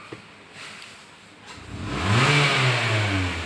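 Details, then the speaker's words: 2021 Mitsubishi Xpander after Blackcore tuning/carbon clean (before: sluggish, flat, pinging, stalling), restarted idling at 750 rpm; quiet idle then revs climb quickly and cleanly on throttle and settle smoothly, crisp healthy throttle response. "Hai sobat, setelah dituning, digember dan kita hidupkan ulang, dia idling di 750. Dan saat kita injek gas,"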